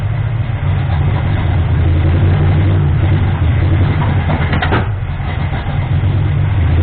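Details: Ford 351M V8 with misfire: low loping idle with uneven stumbling beat and dips; owner suspects ignition timing, timing ring on harmonic balancer found spun; rough idle.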